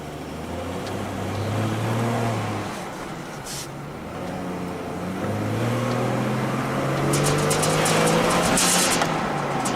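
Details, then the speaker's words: 2007 Chevy Trailblazer on a road test with ABS codes C0035 and C0244: the engine note hangs low and climbs sluggishly from a stop, as if the throttle were not hooked up. The bog comes from ABS cutting torque after losing the wheel-speed signal. "So when I first gave it the gas, it just acted like it didn't take the gas."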